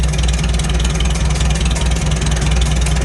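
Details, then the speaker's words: Farmall H tractor, carburetor adjustment: idle air screw turned fully in, engine idles low, lumpy and loping, nearly stalling; wrong mixture, factory starting point is one turn out. "now what we'll do is we'll just tighten it all the way down all right she's dying okay but we're gonna tighten it down"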